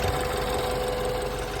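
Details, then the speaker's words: 2015 BMW 428i N20 at idle after an upgraded timing chain tensioner was fitted; a stable idle with a light, fast, even injector tick and no chain slap; normal fuel injector ticking at idle. "I know the fuel injector is all right here. So, fuel injector noise that's fairly normal, I suppose."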